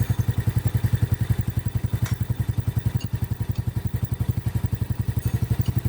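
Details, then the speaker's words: Honda Supra 100 motorcycle at low rpm, hard kick-starting; steady idle thump with dry clatter and squeak from the cylinder head, oil found not reaching the head. Suspected blockage or failed oil pump, unconfirmed. Oil starvation in cylinder head. "sudah jadi posisi oli ini tidak naik ya menjadikan motor ini pertama berat untuk starter tangan kedua suara menjadi kasar ketiga ada suara Cici cicit"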